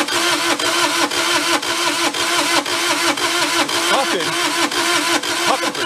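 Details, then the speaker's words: Mid-1980s Bobcat skid steer (possibly 642) diesel: slow even cranking at about two strokes a second that never catches; owner suspects too little compression to fire and plans to check valve clearances for tight valves. "starting to think that we said dust doesn't have enough compression of fire"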